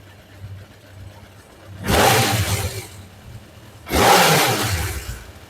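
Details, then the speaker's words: Suzuki GSX600F after carburetor synchronization at working temperature, previously running rough especially on starting: two quick blips climb and drop cleanly with no stumble or popping; carbs respond crisply and engine now runs sweetly. "Ya tenemos los carburadores sincronizados. Vamos a darle un arranque. La verdad que va fina, fina."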